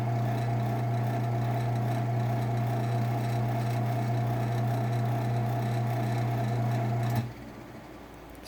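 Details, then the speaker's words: Genie ProMax PMX500IC/B garage door opener, probably 2004, running on the bench with no rail after its blown capacitor was replaced; steady low even hum for seven seconds, no knocks or grinding, clean stop, smooth and quiet. "pretty quiet um it does have the d shaft on top instead of a normal sprocket there you go"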